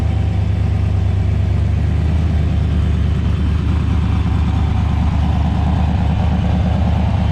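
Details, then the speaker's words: Turbocharged LS 5.3 V8 (FrankenKart) idling after harmonic balancer replacement, noise unchanged: deep rough rumble with uneven muffled internal knocking; owner suspects piston slap, rod or lifter knock; metal later found in oil, cause unknown. "Alright guys, so we got the new balancer on there, but it's still making the noise. So I'm gonna fire it back up for you guys."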